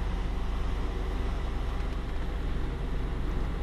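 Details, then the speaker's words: 2004 GMC Yukon V8 started after an EVAP repair for code P0455 (large leak): steady low idle rumble with no misses, knocks or ticks, no more check engine light, healthy even idle. "okay we in the truck we're going to just start it up make sure it's everything's working it's good no more chck engine"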